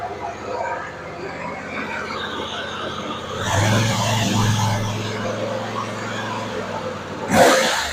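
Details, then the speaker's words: Husqvarna RZ46i zero-turn mower after gummed carburetor cleared, burning old residue off muffler: small engine runs steady and even, smooth low hum, no misses or surging; now purring. "Hey, all I'm saying is that's pretty awesome. Like that carburetor was gked up. That thing's purring."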